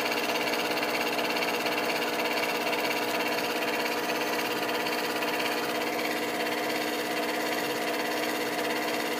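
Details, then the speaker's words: Bathroom fan-heater blower motor, run with a wire bridging the blown fuse, heater coils glowing: even airy whir, no scraping or rattling; spinning freely now, owner suspects dirt and dust had stopped it. "maybe it wasn't spinning before because it was so dirty and dusty turn that off because that seems to be working now"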